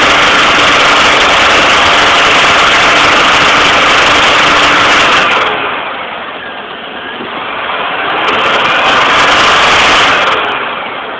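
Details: Pontiac Grand Am with 3400 engine: a loud, harsh metallic rattle at 2000 rpm and above, easing as revs drop. Valve train has been ruled out and the cause is still unknown.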